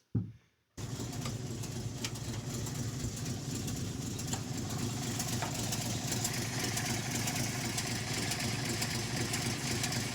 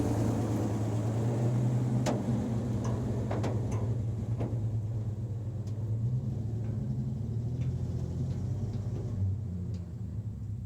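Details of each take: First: REO M-35 truck petrol engine idling cold with a blown head gasket: uneven idle skipping at least one cylinder after every three or four firings; warm it would not idle without blipping throttle. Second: REO M-35 truck engine before the head gasket failure: normal, stable, throaty idle without throttle blipping, with a little upper-end valve clacking.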